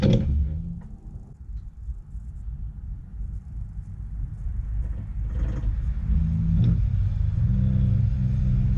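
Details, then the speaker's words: Porsche 996 911 electric conversion, Nissan Leaf motor on Open Inverter board, first run on only 12 volts after precharge rewiring: low smooth hum swelling steadily as the wheels spin up, no grinding or knocking. Normal electric motor spin-up. "but the motor itself actually sounded really smooth you could hear it you know spinning up"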